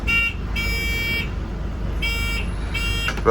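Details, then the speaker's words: 1989 Volvo B10M Mk2 PMC Metro 90 bus, next-stop request bell tested: four crisp electronic bell tones in quick succession; stop bell working. "and a typical um next stop called still works but i've got the button tent off at the moment but it does indeed work so if i just slick you on it indeed works"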